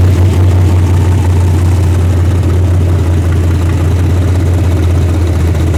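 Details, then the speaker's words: Freshly rebuilt 406 small-block V8 in a truck with carburetor and open plenum intake, idling: deep, strong, steady rumble with even beat, no knocks or ticks; sounds healthy, snappy, normal idle. "Sounds good. It's got that big plenum and stuff on it."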